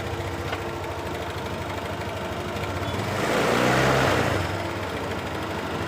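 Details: Honda Beat LED Deluxe scooter that was dying, with a stored code 7 history. After clearing the DTCs it idles smoothly with one clean throttle blip that settles back quickly; running normally again.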